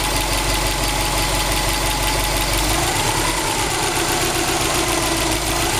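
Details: 2002 Subaru WRX STi, 800 km after short block replacement, warm idle at 85°C oil temperature, 1.8 bar oil pressure, 21°C outside; steady rattly tapping over engine hum that doesn't settle; knock source not yet pinned down.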